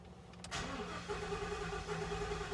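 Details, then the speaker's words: 2015 Ford F-250 6.2L V8, 50,000 miles, cranks unevenly and hard before starting, pointing to low compression; cylinder balance test flags cylinder 4, a misfire caused by a broken exhaust valve spring. "you can you can hear that sounds like a compression issue already can inconsistent cranking"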